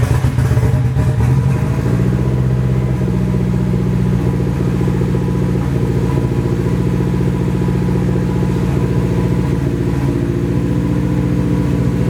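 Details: Nissan 240 with a newly installed SR20, at its first start. It runs through an open downpipe on the original old gas. It idles loud and ragged, with an uneven beat and missed pulses. Misfire; owner suspects bad gas, but the cause is unconfirmed.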